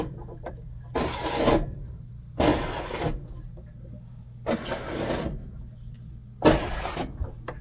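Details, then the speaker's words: Washing machine heard from the bottom of the washer as the drum turns: rasping scrape bursts roughly every two seconds over a low hum. A drum bearing was first suspected, but a large dirt dauber was stuck between the inner drum and tub ring; breaking it apart cured the noise. "And finally I noticed that there was a huge dirt dauber stuck in between the inner drum and the tub ring. So I broke apart the dirt dauber, and that took care of the noise."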